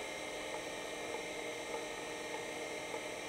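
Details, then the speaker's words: Seagate ST-277N 65MB 5.25" drive converted to ST-277R RLL with ST-251 board, low-level formatting at interleave 3: soft clock-like ticks about every half second over faint hum; normal seeking. "Sounds like a clock. Tick, tick, tick, tick. So that is the drive happily low-level formatting."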